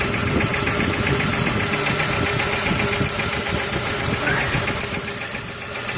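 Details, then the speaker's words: 2000–2001 VW Jetta 2.0L gas engine, cold, neglected, about 10 codes: uneven, stumbling, loping idle with irregular puffs and the engine shaking; a screwdriver test finds a malfunctioning coil pack, seen arcing at its terminal, not firing cylinder 4. "So that coil pack is malfunctioning right there. It is not sending it."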